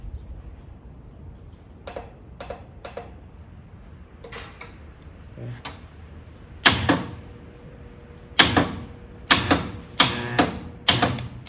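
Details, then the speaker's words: 1947 Willys CJ2A barn find on a jump box: sharp single clicks at irregular intervals, several in a row, with no cranking; solenoid works but the starter seems stuck, bound up or jammed into the flywheel. "That actually acted like that starter was stuck then. Or maybe it's bound up. Maybe it's jammed into the flywheel."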